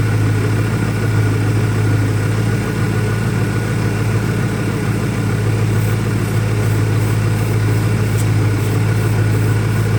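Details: 2001 Ford Mustang Cobra idling loud and rough, uneven beat with pulses wandering about three a second and a lumpy low note; new Bosch plugs fitted, owner asks about vacuum leaks he may be missing, cause unknown.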